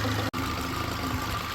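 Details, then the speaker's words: Mercedes B160 at idle after drive belt and tensioner replacement: faint constant whine over the engine note; noise remains, not the tensioner, source unclear. "It's not that. There is a noise, but it's just something else."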